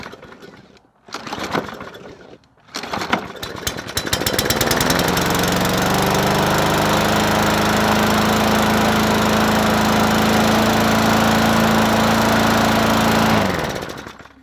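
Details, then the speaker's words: Bolens 21-inch push mower 11A-B0BL765, primed, air filter off, owner smells bad gas: after a couple of pulls it catches and holds a steady high-pitched drone, running too fast. Overspeeding, cause unconfirmed. "so it runs but it's running fast me pull that choke thing back well now it's trying to run"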